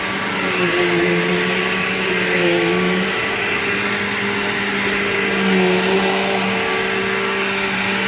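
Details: Bissell PowerGlide Platinum 3545-2 upright vacuum running: steady roar with an odd wavering whine that steps in pitch, most noticeable on wind-down; cause unknown.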